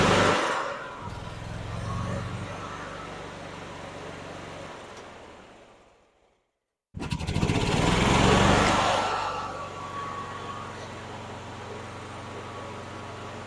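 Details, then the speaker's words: 2012 EZGO TXT gas golf cart with new carburetor, fuel pump and fuel filter, first start on choke; sputters and surges unevenly, dies, restarts and runs rough while warming up; needs adjustment, possibly too much choke, small fuel leak. "oh well it runs now not very good let it warm up"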